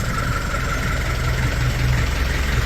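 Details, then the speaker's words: Car with a rerouted muffler running between the upper control arms: a steady low idle rumble with a faint thin whistle at constant pitch on top; whistle at idle, cause unknown. "sounds pretty sick nice bit of whistle on idle chug a lug a lug"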